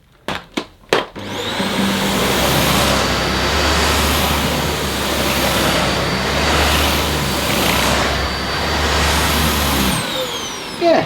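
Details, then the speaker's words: Dyson Ball Animal Multifloor vacuum on plush deep-pile saxony carpet: steady motor hum with brush roll sweeping, mild dips when pushed; normal running. "Well, it's not actually cutting out this time, but yeah, it's a Oh, it's a two-handed job."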